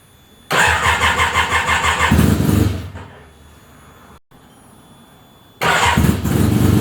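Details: Fully restored 1975 Suzuki RE5 motorcycle at startup: engine catches, runs rough a couple of seconds, cuts out, restarts, with a strange noise from the transmission; engine to be removed to inspect transmission internals.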